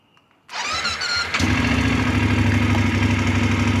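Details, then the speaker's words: Voge DS900X motorcycle after TFT dashboard firmware update 4.7 to 4.9: starter whirs a second, engine catches cleanly into steady even idle, same sound as before, no knocks or rattles; normal. "Masih bunyi yang sama, tak ada bunyi yang berlainan, tak ada jadi special sound pun pada kita punya motor."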